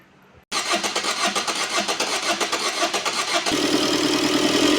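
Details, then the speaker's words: Tata Vista after cylinder head work: engine catches quickly and settles into smooth, even idle with regular firing pulses, no missing sound; normal idle. "இப்ப பாத்தீங்க ஸ்மூத்தா ஓடுது, ஒரு missing complaint sound எதுவுமே இல்ல பாருங்க."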